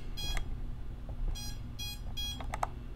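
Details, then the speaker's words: Jumper T16 Pro with a FrSky-style receiver during frequency tuning: at the −75 offset the signal is lost, and the motors give short sharp high-pitched beacon beeps in receiver failsafe. "yeah that's what's beeping over here motor speed yeah yeah alright basically buzzer mode lost motor lost beacons sit on"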